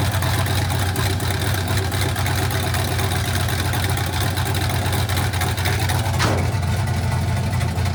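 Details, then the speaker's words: 1967 Chevy C50 with turbo LS V8, 7875 turbo, Holley Terminator X Stealth EFI, first start: deep loping idle with choppy cam beat about two pulses a second and turbo spool audible; healthy. "It sounds freaking amazing. You can hear the cam chop, and you can hear the turbo spool at the same time."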